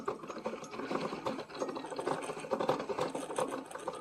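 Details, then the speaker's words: Hamilton Beach FlexBrew Trio 2-Way coffee maker brewing 14 oz: irregular light rattling and clicking over bubbling and gurgling water, something loose rattling inside, which is not normal; the flow then reduces to a drip and the machine isn't working properly. "You hear all that noise? Sounds like something's rattling in there, which is not normal."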